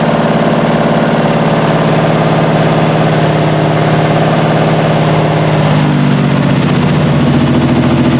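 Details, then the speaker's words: 1968 Triumph TR250, first start since body went on chassis, carbs' idle screws just backed out two and a half turns: uneven, lumpy, wandering idle; rough running from carbs untuned, loose linkage, and timing needing adjustment. "so all right so it runs and obviously needs a lot of adjustment as far as the linkages to the carbs are concerned as far as the timing is concerned"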